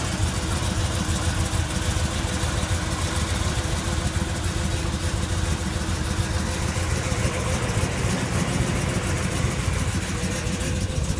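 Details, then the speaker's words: 1971 Chevy K10 short-bed 4x4 with converted big block 402 V8, 700R4 automatic, new headers and 2.5 in mandrel-bent exhaust: starts right up, deep even burble with slight lope, no ticks or knocks; healthy idle. "starts right up idles like it good sounds [Music] good"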